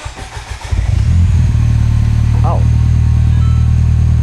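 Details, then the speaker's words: Copart-salvage Mini after repairs, first start: brief cranking catches into a steady, even idle, subdued and quieter than expected; clean, healthy start. "that's not too bad at all. >> Where's the rest of it? [Laughter] >> That's really quiet. I'm surprised."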